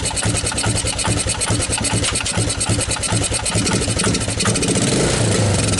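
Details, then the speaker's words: 1985 Suzuki Quadrunner LT230 shaft-drive barn-find ATV at a lumpy single-cylinder idle with uneven beats and some rattle; unstable idle, owner suspects a gummed-up carburetor not pulling gas properly. "Oh, now you're gonna idle."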